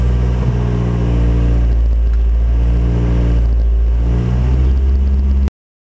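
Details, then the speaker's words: 2005 Ford Focus started right up and is idling smoothly and evenly with no misses or knocks, just after a fuel filter change with the fuel pump fuse pulled to depressurize and then refitted; normal idle. "now because of that fuel is uh was drained it may take a little longer to start than normal oh mine started right up"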